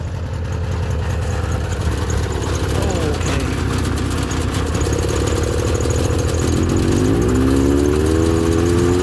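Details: Subaru 360 two-stroke van first start after a long lay-up, fuel pump working, no throttle pedal hooked up; buzzy two-stroke note at a fast, slightly uneven beat, climbing in pitch; running fine.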